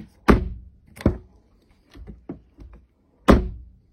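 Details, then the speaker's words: Renault Megane Electric EV door after soundproofing, heavy damping material on the door skin and material behind the plastic trim: four or five dull, short knocks with no ringing; door no longer sings and closes more solidly. "Når man nu banker på dørsiden, kan man høre en klar forskel. Dørene synger ikke mere, og den lukker mere"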